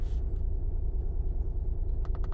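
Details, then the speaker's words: 2011 Honda Pilot 3.5 V6 running terribly with code P0302 idles with a lumpy, uneven low thump; scanner shows climbing misfire counts on cylinder 2, a dead misfire. "let's go to misfire data yeah cylinder number two is Miss firing see the counts keep climbing all right so it's a dead M"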